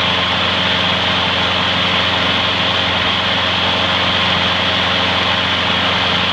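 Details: Trash-found mower after freeing a stuck carburetor float needle and topping up low oil: fast even single-cylinder buzz at one steady speed, no surging or misses; smokes slightly, may clear after running in; runs great.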